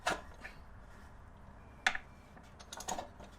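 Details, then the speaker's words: 1976 Toyota Celica RA23 engine after years of storage, plugs removed, turned slowly by hand: three soft, separate puffs of air rush out of the spark plug holes with no scraping or binding, so it turns freely. Normal compression puffs with plugs out. "Alright, that was it. That was kind of that frog sound. That's basically air rushing out through the spark plug hole."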